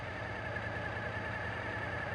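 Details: Suzuki TL1000S fuel-injected V-twin idling during throttle body synchronization: smooth, even idle with a steady low rumble, no hunting or missing, and well-balanced throttle bodies after adjustment. Normal idle.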